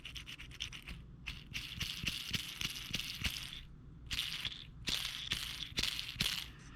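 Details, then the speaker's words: 2012 Camaro SS LS3, about 160k miles, squeal mostly at idle; belt and pulleys ruled out; short raspy squeaks as removed roller lifter is turned under pressure, worn lifter needle bearings with play. "so if you keep running them like this you hear that squeak you pull the oil cap off and if you can hear the squeaking get louder shut it down"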